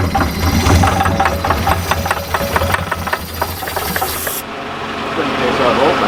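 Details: Barn-find Jaguar/Daimler Mk2 hemi-style 2.5 litre V8, previously seized, running on fuel poured in: steady hard knock about four per second over uneven idle; suspected seized gudgeon pin or piston knocking in bores, unconfirmed.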